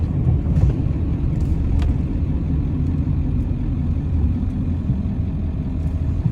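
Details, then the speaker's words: 1995 Ford F-350 dually 7.3 Powerstroke diesel, 5-speed manual, 121k miles, test drive slowing for a corner; steady low diesel drone, no squeal, grind, pops or clunks, no pulling; healthy brakes. "that they don't squeak, they don't cause any kind of pops or clunks or pull the truck or anything."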